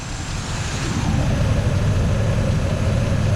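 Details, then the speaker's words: 1986 Chevy C10, mostly original V8 with HEI distributor, sat a couple years, after fuel check: strong even burble climbing and holding with throttle, no ticking or knocking; strong runner needing water pump, battery, filter, fluid. "he's a strong Runner just needs a little help"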